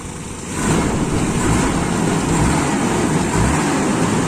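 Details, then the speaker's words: Toyota Kijang Super petrol engine idling after about 10 minutes' running and an engine wash, hot with thermostat open, after a 1000 km trip: steady, even low rumble, no knocks or misses; smooth, healthy warm idle. "ini mesin sudah jalan sekitar 10 menit ini sudah panas berarti thermostat sudah buka radiator saya sudah padat Alhamdulillah kita ada masalah suara mesin juga halus"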